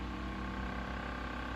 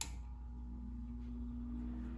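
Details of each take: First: 1950s Electrohome 8-inch desk fan, model 608S, single-speed shaded-pole motor, sitting on a sewing-machine table: steady hum with a fast buzzing rattle. The loose foldable table section is rattling from the fan's vibration, not a fan fault. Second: 1950s Electrohome 8-inch desk fan, model 608S, single-speed 120V shaded-pole 2-pole motor: quiet, even hum rising in pitch as the blades spin up. A smooth, normal start-up.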